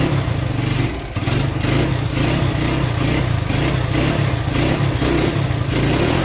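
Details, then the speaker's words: Re-ringed worn Honda SL100 single in a 1975 SL125 frame, cold on choke after kick start: lumpy, stumbling revs with a brief dip; owner suspects carburetor needs adjusting, maybe timing; rough cold running. "It's really cold natured. That carburetor may need some adjusting too."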